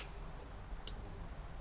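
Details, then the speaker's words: One light sharp click from the VW badge boot release microswitch on a VW Phaeton with no latch pop; switch works, so the owner suspects a broken wire in the boot lid wiring loom. "The Volkswagen badge micro switched. It's just not doing its job. I can hear the switch clicking and I'm like with experience."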